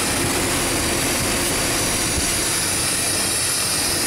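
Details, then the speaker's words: 1998 Chevy 2500 Silverado 5.7L with the PCV valve disconnected: a loud, steady hiss of air being sucked in while running, as the crankcase draws heavy vacuum through a leaking intake manifold gasket, likely mostly at cylinder 5, raising the idle. "so that intake manifold gasket is definitely leaking hardcore"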